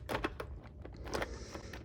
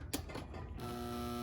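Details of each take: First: Old Bachmann model locomotive with a can motor: a few light clicks, then a soft, even motor whirr building smoothly with no grinding or rattle. Normal, quiet running. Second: Athearn Pennsylvania F-unit model train locomotive given power: a short click, then a steady buzzing hum at one pitch with no gear rhythm; the motor gets power and is probably good, but the drive is completely seized.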